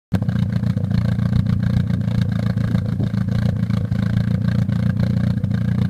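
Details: Nissan 200SX S13: uneven, lumpy running with an irregular low beat and occasional stumbles instead of a smooth idle; owner suspects a bad ignition coil.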